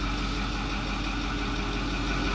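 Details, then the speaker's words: 2008 Ford F250 6.4L turbo diesel after replacing failing electric diesel lift pump (P2291, died when hot) and purging air; starts and idles with even steady clatter, no misses or surging: normal idle. "Me voy a dar marcha de una vez a ver si con eso es suficiente. Ahí prendió. Ya después de purgar el sistema."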